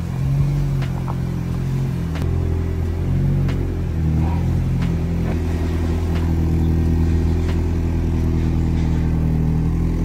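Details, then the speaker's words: Mazda Miata NB fitted with an eBay exhaust designed for the NA, with no catalytic converter: loud low rasp rising and falling with throttle, harsh and droning. A cat is planned to tame it. "of course I'm gonna have to put like a cat on it or something up at the front because it's so raspy and terrible we can't have that"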